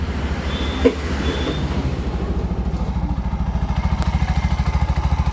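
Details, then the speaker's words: Bajaj BS6 single-cylinder after timing chain repair: steady idle, about three even beats a second, no rattle or chain slap; silent now, big difference compared with before the repair. "Silent ಆಗಿದೆ. Sound ಕೇಳಿಸ್ಕೊಬೋದು. ಫಸ್ಟಿಗೆ ಇವಾಗೆ compare ಮಾಡಿದ್ರೆ ತುಂಬ ವ್ಯತ್ಯಾಸ ಇದೆ."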